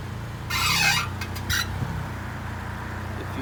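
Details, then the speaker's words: Honda/Acura driving over bumps and potholes: sharp squeaky bursts over a steady low hum. Suspected dry, worn lower ball joint rather than the shocks, not confirmed. "if you hear that noise nine nine times out of ten is the ball joint the bottom ball joint a lot of people think it's the shocks"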